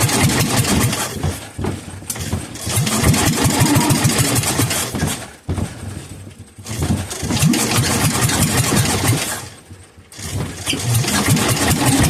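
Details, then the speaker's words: Kohler K241 single that sat for years, bottle-fed two-stroke fuel straight into the cylinder: three times it cranks, catches into a rough chug for a couple of seconds, then dies once the starter-generator power is cut. It starts, then dies. "well I'm not having much luck bottle feeding it as soon as I take it off this as soon as I uh disconnect the power to the starter generator it once to die like just doesn't want to run but you can hear it firing"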